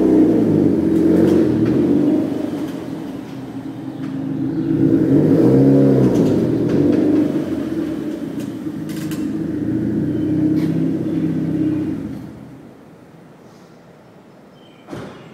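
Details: Mazda Miata pulling away from a stop on clutch engagement, forward or reverse: engine revs with a few sharp clicks and pops from the suspension underneath; cause unknown.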